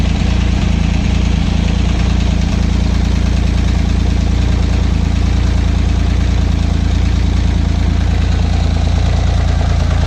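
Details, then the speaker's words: Acura 3G TL Type S J35 V6, first start after rebuild with resurfaced cylinder head and new head bolts: heavy lumpy idle pulsing three to four beats a second, never settles; rough running, owner suspects rear head blown head gasket too. "Mission on. Well, what's going on here? Uh-oh. That didn't sound good."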